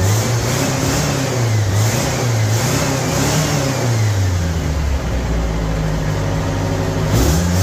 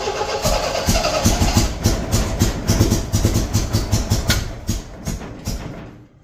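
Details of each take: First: 1975 MGB four-cylinder, project car just brought back to running, now firing evenly on all four cylinders: steady note climbing and falling cleanly with throttle, no misfire stumble; runs much better than when missing. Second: 1975 MGB running off a five-gallon gas can after first start: lumpy, uneven firing with irregular beats, then fading; owner suspects wrong firing order or cap on backwards; misfire.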